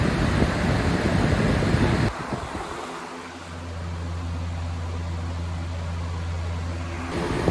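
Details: Household fan on high after cleaning the dirty blades: steady low hum settles in after handling noise, even and unwavering; fan runs smoothly.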